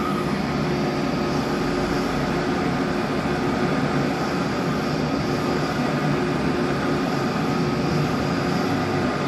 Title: MJP 2500 Plus Strange Noise